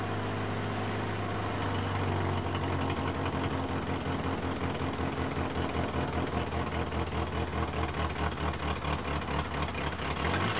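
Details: 1985½ Mercury Lynx: engine starts and settles into an uneven idle with irregular low stumbles and a lumpy beat. Misfiring.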